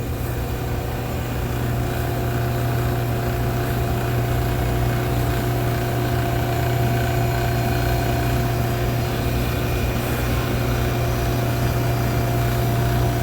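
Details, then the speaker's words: Capillary-tube beer cooler compressor that had been cycling on thermal overload, while slowly adding refrigerant: steady hum turning duller and heavier as head pressure and current rise; liquid refrigerant starting to flood back. "I can hear the sound of the compressor changing, so you got to listen as you're adding refrigerant. It was starting to kind of flood back, the tone of it."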